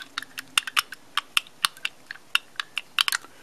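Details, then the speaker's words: Fiat 850 Weber carburetor off the car, throttle shaft rocked by hand: sharp, irregular light clicks from sloppy shaft play. The shaft is worn, likely causing intermittent idle hanging near 2,000 rpm instead of 1,000 coming off acceleration. "you can just hear that slopping there and I've been having these off and on weird idle issues and it's probably because of that"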